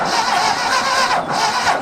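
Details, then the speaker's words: Abandoned Ford 2000 tractor cranking on a fresh battery: irregular firing that stumbles and fights itself, never catching. Suspected wrong firing order or timing too advanced, with the distributor cap possibly needing rotation. Misfiring crank, cause unconfirmed. "It sounds like it's trying to run, but it sounds like it's fighting itself. I think it's trying to fire the wrong cylinders. Yeah, it sounds like like timing is too advanced."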